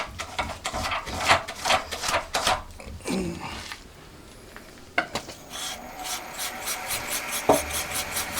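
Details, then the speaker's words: Homemade honing tool driven by a milling machine with one joint removed, cylinder honing for a four-cylinder Monkey engine project: steady rhythmic rasping of the stone in the bore with no chatter, unlike with the vibration-causing joint fitted. "今度はいい音ですね。特にビビりもなくスムーズにいってます。主に聞こえてくるのは砥石の処理音だけでいい感じですね、これは。"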